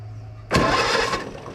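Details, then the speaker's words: Co-op E3 tractor (about 1947) after years of sitting, started with starting fluid: catches and sputters unevenly about a second before fading; poor carburetor, needs carburetor work. "that's something you got a runner we got a runner okay I just need some carburetor work"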